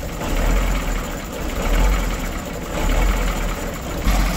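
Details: 1986 Ford F8000 with 3208 Cat V8 10.4 L turbo diesel, sat about 8 years, just started after wiring the solenoid, water level unchecked: loping, uneven idle at roughly fifty surges a minute, like a heavy cam; rough idle.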